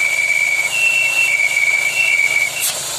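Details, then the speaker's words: 2021 VW Polo engine idling with a thin, steady, slightly wavering high whistle ("crying"); removing the oil filler cap stops it, so the failed diaphragm in the oil filler cap is the cause. "Não tem lógica o negócio é esse só o diafragma da tampa do óleo do motor tem problema causa esse barulho posto beleza"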